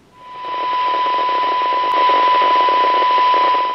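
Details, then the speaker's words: Ready Rescue radio after repair of a suspected dry joint, receiving a test signal at about 0.5 microvolt: a clean, steady tone over soft even hiss with a faint crackle that the owner blames on grounding in the test setup, so receive audio is normal. "that's sounding pretty good all right so there is a little bit of an underlying crackle with this set"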